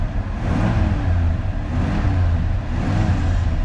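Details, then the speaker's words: Old Ford F-150 with a previously seized engine, now revived, after a fuel-additive treatment. The engine revs up and down smoothly and steadily with no miss, knock or smoke; it is running well. "let's see if the seafood treatment worked no smoke but I don't know it sounds like she's running good"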